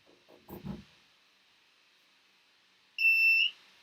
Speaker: I'm going to plug it in I'm going to go to the distance for you so you can hear the beeps okay dear